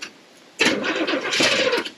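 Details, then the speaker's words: 1979 Corvette C3 small-block V8 that had been sitting, with a battery that sat a while: the starter grinds sluggishly for about a second without firing and quits; a weak battery cranks too slowly and needs charging. "I think it'll start. Might need a bigger charger. >> Yeah, >> battery been sitting for a minute."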